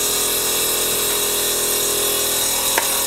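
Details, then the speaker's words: VW Golf R Mk7 with newly DIY-installed 3P air ride; compressor running on its own while system calibrates, tank vibrating. Steady, high-pitched electric hum with even hiss, no faltering; normal compressor operation. "feel the tank like vibrating so we've turned it on i'm not touching anything it's calibrating as you can hear whoa sounds sick"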